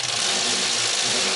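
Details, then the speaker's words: 2004 Toyota Yaris 1.0L 3-cylinder petrol engine at idle: fast, dry diesel-like clatter over the engine; suspected too-long timing chain, cause unconfirmed. "this is castle on engine and this sounds like diesel engine and lake next I start the engine this is like diesel engine can you hear but"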